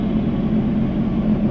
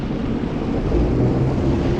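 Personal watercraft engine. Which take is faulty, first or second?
second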